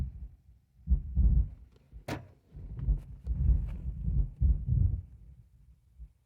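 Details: Grand Marquis with Precision Power double-DIN head unit, added amp and sub, engine off, bass knob turned up: irregular deep thumps and low booming pulses through the sub; cause not yet found.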